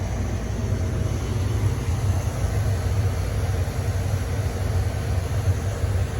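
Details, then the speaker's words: Masterbilt two-door cake display freezer, rooftop condensing unit, no-cooling call with power confirmed on: steady low condenser fan rumble and air rush, no compressor hum; fans run, compressor stays off. "I can feel air, so my condenser fans are running, but I don't hear the compressor. So I think we got fans, no compressor."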